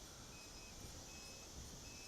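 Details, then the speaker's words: MJX Bugs 3 quadcopter flying in 10 mph wind after a post-crash calibration: faint high beeps over rotor hiss from the voltage alarm, which came on early from hard flying. The beeping stops as the battery equalizes, leaving minutes before landing. Low battery voltage alarm. "can probably hear it beeping no see it just it just quit cuz it's all equalized so I got another couple minutes here before I need to land"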